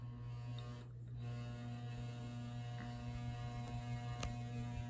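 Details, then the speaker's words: Late-1970s/early-1980s ERS American Art Series ceiling fan at an intermediate speed: steady low electrical hum with an overtone from the motor, which always hums at this speed and goes silent on full power. "you can see it's complaining even more it always does that for whatever reason so i'm not going to run it on this speed too long just because of that"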